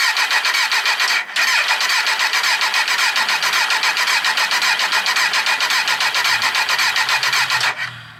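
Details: 2003 Kawasaki Z1000 left sitting outside six years, mouse-infested: starter churns with even compression beats about four a second for eight seconds, never catches — prolonged cranking, no start.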